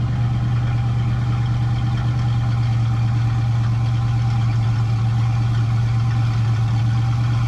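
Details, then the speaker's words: Foxbody Mustang 5.0, next day after cleaning the dirty EGR valve that caused rough idle and surging: deep, even rumble holding steady around 1000 rpm with no dips or surge, where it previously would have stalled. Normal idle. "the idle is already better creep previously the car would have just stalled out but with that clean EGR valve it is uh it's idling right about thousand"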